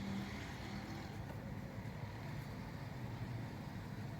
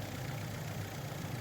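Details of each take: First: FAW V2 2010 petrol engine idling unevenly with a stumbling low beat, check-engine light on with codes P0300, P0302, P0304 that won't clear; misfire traced to bad spark plugs. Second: 2010 FAW V2 petrol engine idling after spark plug change for misfire codes P0300, P0302, P0304: steady, even low hum, no skipping; misfire cured, though weak piston rings are suspected.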